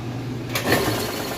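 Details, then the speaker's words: Crosley top-load washer on a normal load of mostly jeans: steady fast whir at full spin with a brief swell and no banging, wobble or odd noises; spinning normally. "And here we are back at the full-blown spin cycle. Sounds great. It's not wobbly. No weird noises or anything."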